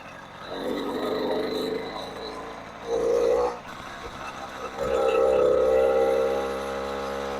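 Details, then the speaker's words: 80cc two-stroke motorized bicycle after an exhaust gasket replacement. A crisp buzz rises and falls with throttle blips, with a clean steady pitch and no exhaust-leak puffing. It runs fine, though the mechanic says it needs a new carburetor. "Well, she sounds good. She's running good."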